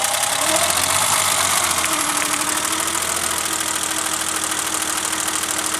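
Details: Engine after timing belt skipped teeth (bent valves): rough lumpy idle stumbling two to three times a second; cylinder two dead because the new distributor cap arced near it during the misfiring, preventing that plug from sparking.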